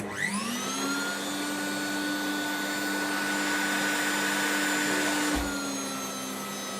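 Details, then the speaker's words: Hoover Turbo Power 2 Autosense vacuum, run with no bag: motor whines to a steady high pitch with a weak brush drive; the stretched belt slips badly and needs replacing. "Just needs a new belt because this one slips like anything."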